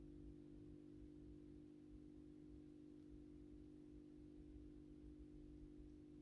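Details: AEG Minikoffer West German post-top mercury vapor streetlight (80/125 W) on its first startup after rewiring per the ballast schematic, 125 W Osram Deluxe bulb. Steady low mains hum with a few even tones, no buzzing or rattle, during warm-up: normal ballast hum.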